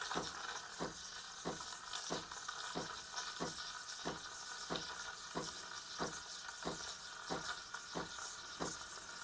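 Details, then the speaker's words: Milk steaming with the steam nozzle set shallower than before (nozzle holes barely visible) to get thicker foam: a soft, steady hiss with more chirping, with gentle rhythmic surges about every two-thirds of a second as the milk rolls; normal steaming. "자 저것보다 우유거품을 더 두껍게 하려면 어떻게 해야 되냐 굉장히 쉽 습니다 그것도 지금 바로 해볼게요"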